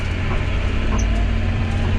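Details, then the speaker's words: John Deere 6210R tractor with IVT transmission after calibration, engine speed set to 1800 rpm instead of 2100, driving at 30 mph: deep, even diesel drone holding one speed without winding higher; steady 1800 rpm. "see, it's running at 1800 RPMs, running at 30 mile an hour, no problem."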